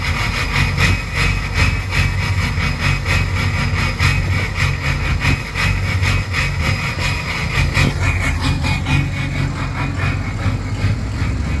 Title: 6.0 powerstroke rough idle and smoke